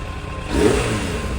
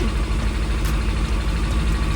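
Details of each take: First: Suzuki Bandit 600 after a carburettor rebuild and carb balancing: smooth, even four-cylinder note rising gently with throttle, with no skips or popping; misfire gone, though air mixture screws are not yet adjusted. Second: Suzuki Bandit 600 after a carburettor rebuild to cure a misfire, carbs being balanced: low, uneven, loping idle instead of a smooth hum as the carbs run out of sync with each other; air mixture screws still to be set.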